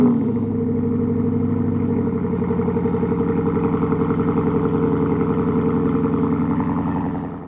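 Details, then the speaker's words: 2013 Mustang GT Coyote V8 with Borla exhaust, cold start after rebuild and new fan, radiator and condenser with fresh antifreeze. Deep, even burble, quick regular pulses settling from a fast cold idle to a steady one; healthy. "So we'll get to hear it here. Let's do a cold start."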